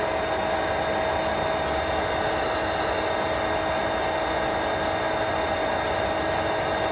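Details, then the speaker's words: Pentair SuperFlo VS variable-speed pool pump running at 3200 rpm on speed two for solar heating: smooth, constant motor hum with a steady whine and no rattle, surging or grinding; normal running. "see that it went down to the 3200 right now we're right number two speed for solar"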